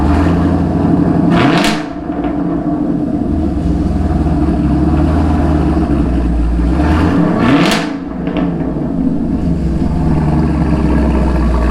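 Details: 2017 Camaro SS 1LE V8 on stock exhaust, before installing 1-7/8" stainless Speed Engineering headers and X-pipe: deep, even rumble, two clean throttle blips rising and settling smoothly; no knocks or rattles, healthy.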